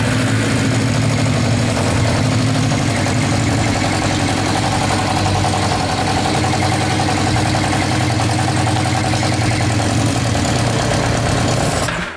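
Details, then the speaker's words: Yamaha motorbike that cuts out when choke or throttle is touched, run on carburettor cleaner sprayed into the engine; low uneven beat for about twelve seconds then dies, no improvement; owner suspects dirty carbs, not confirmed. "nah it's probably not doing it any good"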